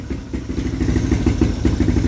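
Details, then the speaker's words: Motorcycle (Umar Racing carburetor, 3.0 mm valve springs, owner's NLK 28mm exhaust with silencer): crisp steady single-cylinder firing, clean rhythm, no knocking; timing and response good, engine quiet, normal running. "Timing cantik, respon pun cantik lah. Okay. Enjin pun senyap, alhamdulillah."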